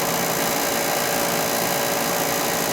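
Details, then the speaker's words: Beckett oil burner furnace power venter, motor replaced about 5 years ago and last serviced about 3 years ago; coarse, rattly buzzing drone, probably a bad motor/fan with the blade gone inside (no oiler); power venter vibration. "Definitely making some noise there. We're gonna go check out why. Got a vibration. Up in that power venter."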